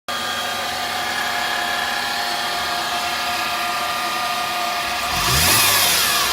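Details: 2008 Mercedes-Benz C300 at idle and revving: steady high-pitched drone that persists after warm-up and holds pitch with revs; alternator whine, fixed by replacing the alternator.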